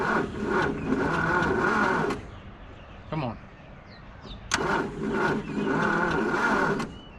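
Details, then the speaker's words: 1963 Plymouth Valiant AP5, 225 slant six, off the road since 1985; spark present; two bursts of slow labouring cranking with steady starter whine, no firing; owner suspects a stuck-open exhaust valve; unconfirmed. "I reckon it's going to go it's just so slow get a bit in the intake manifold if I get a little bit of a pool of fuel in the intake hopefully it'll draw a bit of vapor through"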